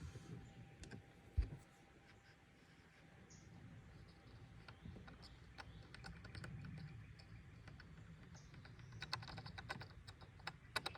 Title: 2022 Toyota Tundra A pillar rattling noise coming from a plastic clip.